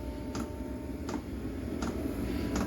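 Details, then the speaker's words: eBay Chinese diesel heater installed in a 1966 VW Beetle, five minutes after ignition on at startup: soft regular fuel pump ticks about every 0.75 s over a low hum, speeding up automatically; normal dosing. "it's very quiet it is it is going so you're the foot for the fuel pump getting a little more excited it's all automated which is kind of neat for what you pay for"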